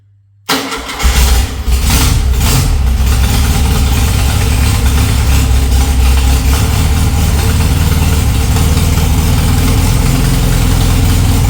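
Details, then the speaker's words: VW Beetle engine put back together, running without muffler after timing advanced and choke used, old deposits burning off: catches after brief crank into steady even low idle on all four cylinders, sounding healthy. "Definitely running on 4. You can hear it. It sounds pretty good. It sounds healthy."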